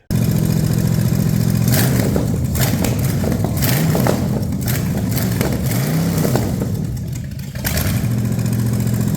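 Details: Ford 460 from a neglected farm chore truck, warm, after checking that all cylinders fire: a deep, even idle and clean throttle blips with no misfire or knock. Owner judges it decent, not great, given borderline low compression.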